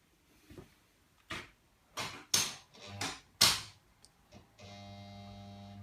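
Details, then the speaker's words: Kingscote signal box lever frame, recently adjusted and oiled: a few lever clunks, then the energised AC lock coil gives a steady, even low mains buzz, which is normal. "can hear it's an AC coil, so you can hear it. Hear it buzzing."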